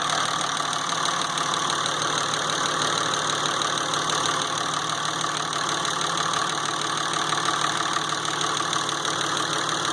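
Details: 2006 Dodge Ram 2500 5.9 Cummins 24-valve diesel, brought in for injector circuit codes P0203 and P2146, after injector work: steady, even diesel clatter at idle with open valve-train ticking, no stumble or miss; engine running smooth.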